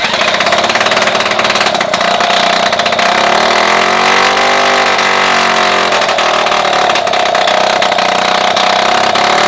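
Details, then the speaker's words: Solex 2200 moped two-stroke engine, first start just after assembly and fitting the carburetor jet: steady, even buzz, pitch rising slightly and settling, no knocks; runs normally. "Ben voilà, il fonctionne. Alors comme un 2002 hein."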